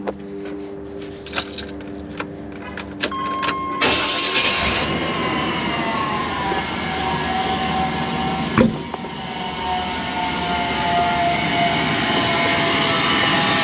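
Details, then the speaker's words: 1995 Chevrolet Silverado 1500 extended cab V8, automatic, 4x4, R134a A/C, just after start: steady thin whine over the idle, traced to the A/C compressor pulley, not the alternator; the compressor is thought to be running dry and needing lubrication (oil), engine otherwise fine. "C'est plutôt la poulie du C'est là que le bruit provient, c'est le compresseur. Donc euh ouais, il a peut-être il a certainement besoin de lubrification."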